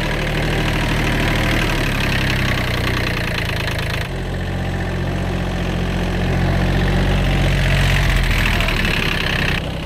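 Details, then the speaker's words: Kubota B7100 tractor diesel, after replacing chewed-up gearbox gears and bearings: even chugging with steady low hum, no grinding or whine; previous horrible gearbox noise gone, normal running. "that's way better no more noises"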